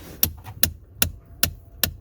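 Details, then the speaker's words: 2017 Ford Explorer (described elsewhere as an Expedition) HVAC blend door actuator, recorded from behind the dash with the accessory on: sharp, even clicks about 2.5 per second. Unplugging the harness while it clicks stops it, diagnosing a failing actuator. "So that's the clicking, and then, oh, dang it. Come on. Okay, well, you could see it clicking. If you take the harness out while it's clicking and it stops, that's how you diagnose it easily."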